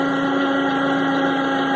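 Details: 2009 Toyota RAV4 at idle: a constant even whirring whine at one pitch, suspected from the Denso 210-0722 alternator with failing internals (diode, brushes), unconfirmed.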